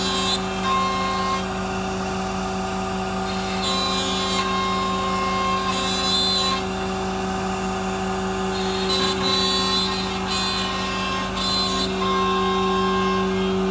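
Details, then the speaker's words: MultiCam 3-204 5x10 CNC router with a 5.5 HP Colombo spindle (32,000 max rpm), 8-position tool changer, vacuum table and new hose and dust hood, cutting at high speed. Steady high spindle tone with an even cutting hiss, no chatter; normal cutting. "as you can see it comes with new orange hose fully working dust hood the spindle is smooth machine works at high speed with no issue"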